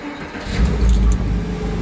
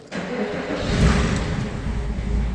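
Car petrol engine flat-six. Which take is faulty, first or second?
second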